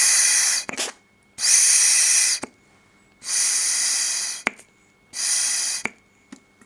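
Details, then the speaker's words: Bunn one-way breather valve for BSA A10 engine, sucked and blown through its tube by mouth; fast, fizzy flutter over breath hiss, valve cycling many times a second as it should, normal. "this is what the actual bun valve looks like and if I'm going to suck and blow on the tube above it you'll be able to hear how it"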